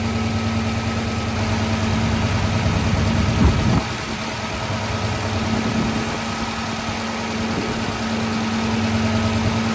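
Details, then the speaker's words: 1966 Ford Fairlane carbureted engine idling rock solid at 14, even steady hum, no popping; leak heard at idle air mixture screw, but opening throttle blades causes lean pop and stall, fuel suspected; normal idle. "I mean, it's rock solid at 14."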